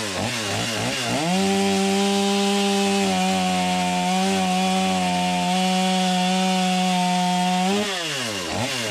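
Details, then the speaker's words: Stihl MS250 chainsaw cutting after new crank bearings and seals, which cured its earlier noise; the seals may have leaked slightly. Revs climb to a clean, steady high pitch, then drop, with no rattle; normal running under load. "Sounds good. Not hearing a bunch of noise like I was before I replaced the bearings."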